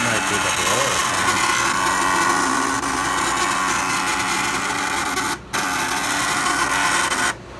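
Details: New condo furnace inducer motor/fan: loud harsh fan roar with rough buzzing rattle that starts randomly and cuts out abruptly, triggerable by touching the mounting bracket; fan blade or loose mounting suspected, not confirmed.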